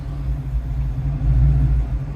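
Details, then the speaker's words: Fox body Mustang on return from a drive, wheels possibly mounted wrong: low, lumpy rumble with uneven surging at idle, idle so bad it sounds cammed; cause not confirmed. "kind of makes people think it's cammed while you're sitting at the light because the idle's so terrible."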